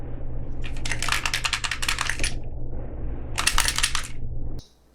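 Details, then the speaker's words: Hand-crank, solar-panel emergency flashlight unit from a subscription box, shaken: two bursts of quick, tinny clatter like a small loose piece bouncing inside the case; unidentified loose internal part. "What is rattling around in there? What the fuck is that? That doesn't sound good."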